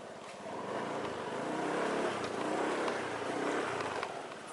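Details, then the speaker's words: Honda Beat scooter CVT on a test ride after fitting Suzuki Nex clutch shoes and replacing CVT parts to cure a humming noise when easing off the throttle; moderate even running noise with no drone, CVT healthy. "ini suara mendengungnya udah ini ya udah nggak ada"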